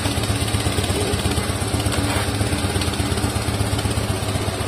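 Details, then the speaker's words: Motorcycle engine cold, freshly running Castrol Power1 Ultimate fully synthetic oil: steady, even low idle rumble with no ticks, knocks or rattles; smooth, healthy cold idle. "Nah suaranya kayak gini ini mulus banget beneran tuh enggak ada suara aneh-aneh ya ini mulus banget suaranya kalau misalkan posisi masih dingin"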